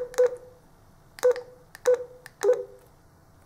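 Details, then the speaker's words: Kirisun DP770 radio after full submersion, drying out and having water blown out of its speaker: four short, clear beeps, crisp and undistorted; normal alert tones, so the radio proved waterproof. "you can hear they sound normal again so I can say that the carries on DP 717 is as waterproof as it claims to be"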